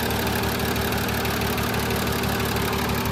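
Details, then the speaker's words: VW Jetta VR6 with newly installed engine, straight-piped, first start-up, check engine light on: fast light top-end ticking about three a second over steady idle; owner notes a little tick on the valves. "but yeah it's it's man it sounds good I might you're like a little tit on the valves something"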